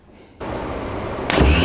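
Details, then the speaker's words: Faulty remanufactured Autozone starter for a 1983 Porsche 944, bench-powered without powering the solenoid field: free-spinning whir rising sharply with no gear clunk; pinion not popping out. "Didn't work. It's not working. That's fascinating. It does not pop out."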